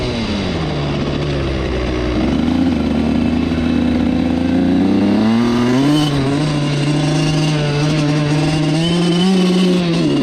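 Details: Suzuki RM85 two-stroke dirt bike after wheelies: the note sags and wavers under throttle, then struggles back up instead of revving cleanly, so it bogs; the owner suspects carb problems, but the cause is unclear.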